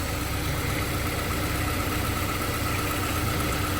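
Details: Honda S2000 that sat 4 years, after full fluid change and injector cleaning, idling while coolant is bled with bleeder bucket fitted: smooth, even idle hum, steady note, no knocks, ticks or stumbles; normal idle.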